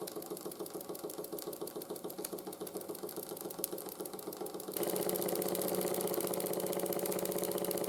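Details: 1914 Ernst Plank 114/1 vertical steam engine after rebuild with new crank pin, wrist pin and crank shims: steady chuffing near four per second with faint clunk each stroke; slight residual crank knock when hot, much quieter.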